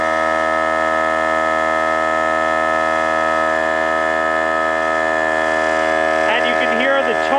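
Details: Harbor Freight air compressor with a worn, damaged pump, filling the tank from empty: steady motor hum wavers and sags as pressure builds, stalling and freewheeling, warbling near 90 psi; the fill took about 5:20 versus under four minutes when new.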